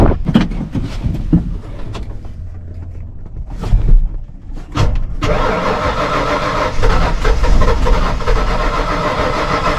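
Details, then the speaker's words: Ford V8 truck project that reportedly ran when parked: it cranks in several bursts, then catches on starting fluid and runs rough after fuel pressure at the rail was restored. The fuel is dirty and the tank is suspected, so the engine is starved of fuel. "so yeah we did not have Fu pressure coming out of this rail and now we do so it should it ain't the cleanest they don't smell a button something's going on in that tank"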